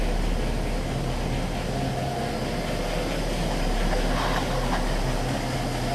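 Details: 1960 Pontiac barn-find V8, low miles, idling after Pertronix electronic ignition and Flame Thrower coil fitted, while ignition timing is checked with a strobe light: steady, even low rumble, no misses or stumbles; normal idle.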